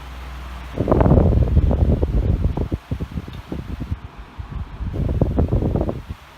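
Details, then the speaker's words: Air King 16-inch commercial table fan: uneven rapid rattling and fluttering thumps, about four a second, over the rush of air on medium, from blades that are a bit off balance; rattles more on high. "The blades are a bit off balanced. I'm not really that worried about it, but you'll see when I turn it on to high, it does rattle a lot."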